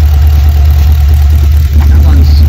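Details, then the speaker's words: LS3/L77 V8 in a VF/VE Commodore at idle: a deep, slightly uneven beat, like running on seven cylinders. Coil or spark plug is first suspected; a spray test finds one cold cylinder, and the cause is an injector issue. "running on seven cylinders so probably the easiest way to try and solve where what area of the car is coming from it's obviously ignition coil related spark plug"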